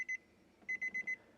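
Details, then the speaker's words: Car cabin with the key in and the door open: short high-pitched dings, two then four in quick succession, the normal warning chime that stops when the door closes. "that dings with the door open I go ahead and hop in here and close the door that now shuts off"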